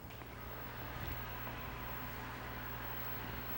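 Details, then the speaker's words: Commodore SX-64 computer powered on: steady, even whir with a low hum underneath, no rubbing or ticking; cooling fan spinning normally and pushing air out. "Wow, I can hear that fan. And actually, it is pushing air out this way."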